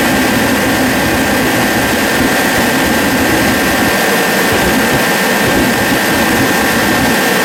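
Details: Forced-air diesel/kerosene heater after air/fuel pump repair, pressure at 12 psi, fuel two years old and suspected of holding water: loud even roar of fan and burner at one steady pitch, no sputter or surging; running properly.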